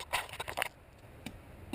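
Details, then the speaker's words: 1987 Yamaha Warrior 350 ATV with intermittent electric start fault: pressing the starter gives only sharp starter solenoid clicks with no cranking. "here we hit the starter button and you can just hear the click the clicking is that starter solenoid that's this part right here and that's supposed to click"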